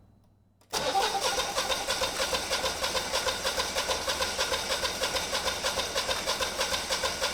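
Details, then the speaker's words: Generac 20kW standby generator, GTH-999 999cc engine on propane, start attempt possibly still purging air: steady, even cranking about three turns a second but never fires; crank no start, no spark suspected. "and we get nothing. So potentially we don't have spark."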